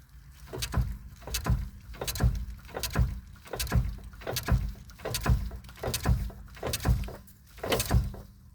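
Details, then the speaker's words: 2008 GMC Yukon Denali AWD: deep clunk from under the truck on the driver side at every stop and start, shown by working the part back and forth; sharp repeated clunks about every 0.75 seconds. "okay I'm having a clunking sound every time you stop and start with this truck this is a 19 no 2008 Yukon Denali"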